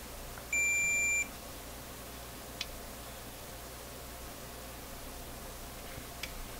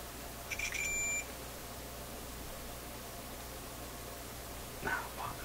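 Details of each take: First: Is there a short here? Son of a gun. It's a short. A short. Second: Now that was showing a short and then it kind of disappeared. What's the action here? It's really getting to be is annoying.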